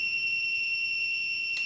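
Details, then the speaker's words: Zosi CCTV DVR powered on with no cameras: steady high-pitched buzzing tone, red power light, no boot and no VGA output; 12 V supply tested good, cause a blown capacitor. "let's just switch the power on you get this buzzing noise [Music] red light comes on there power lights you just get a buzzing noise it doesn't do anything else"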